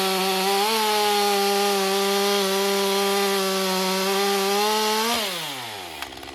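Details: Stihl MS201TC M-Tronic climbing saw, relatively low hours, after repairing a no-start traced to a broken wire: strong, steady high-pitched two-stroke scream holds pitch while cutting and winds down cleanly at the end. Normal running under load.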